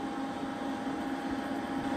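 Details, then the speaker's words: Denford Viceroy pillar drill, Hoover three-phase motor after bearing replacement (old bearings notchy, hardened grease, nearly seized and squeaking): quiet, smooth steady motor hum with no grinding, only faint spindle noise; normal running after repair. "That sounds really good, that does. Motor's silent, so the only noise now is coming from the spindle, and I'm not really getting involved in that."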